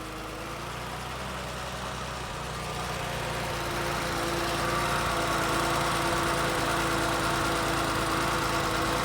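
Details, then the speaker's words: BMW E12 528i petrol engine idles smoothly and quietly with an even low hum and little ticking; clutch fan seems stuck on; runs good, solid engine. "the engine's really quiet I mean it's not loud it's not overly Ticky um solid engine in this thing for sure"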